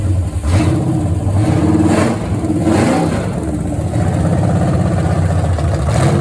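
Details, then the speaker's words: Restored 1970 Pontiac GTO 400 V8 (YS code) on test stand during cam break-in, Summit 2801 flat tappet cam, Quadrajet carb: steady raised-rpm running, even and smooth with throttle blips, no knocks or ticks; healthy. "And Al's done an excellent job restoring this engine, and we'll let you hear how it runs."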